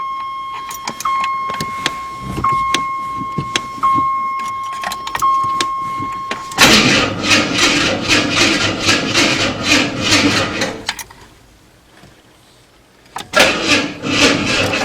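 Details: Vehicle on stands after transmission and transfer case install, first startup in months with a possibly weak battery and some leaky coolant lines: steady warning chime and clicks, engine catches, runs, goes quiet, fires again; normal start.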